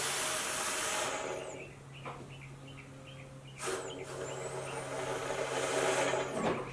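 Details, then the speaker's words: 2005 Scion xA (Toyota) with a check engine light, evap system test with the gas cap open: a steady air hiss with quick gurgling bubbles shows the evap line is open and passing air freely. Faults found were a broken purge valve solenoid wire and a cracked vacuum hose. "as you can see here the bubbles coming through so that's great"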